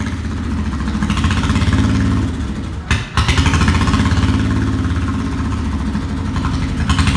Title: 1996 VT1100 with ebay CDI, misfire, flames